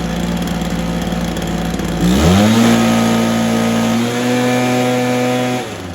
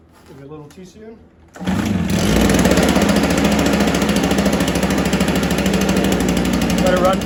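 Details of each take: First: Stihl BR430 after spark plug boot fix, carb tuned and idle raised: settles to a steady idle, revs cleanly and holds an even high note without stumbling; normal running. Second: A Stihl BR430 backpack blower of unknown storage time catches after a short pull and holds a rough, slightly uneven idle. It had been primed. It only keeps running with the choke on.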